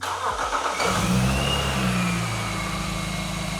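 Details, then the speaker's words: Supercharged BMW E46 330i manual touring that previously would not idle: it starts after a short crank and settles into a steady, smooth idle with a faint whine. Alternator reads 14 V and AFR about 15. Normal idle. "Oh, yeah. Oh, it's got an idle. It's got an idle. That runs a lot smoother already."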